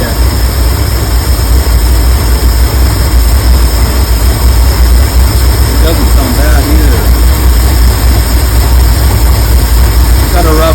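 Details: 1983–84 Ford E-350 V8, first fire-up after a pinholed fuel line was replaced, fuel still pouring from the tank: heavy, uneven, lumpy idle that never settles, with background chatter; rough idle, cause not yet found.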